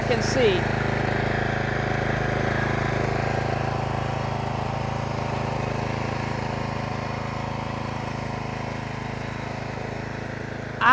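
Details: Troy-Bilt pressure washer with Briggs & Stratton Quantum single-cylinder engine, after full service (oil change, carburetor service, air filter, new o-rings), holds a steady, even drone under pump load with no hunting or surging, no leaks; runs healthy.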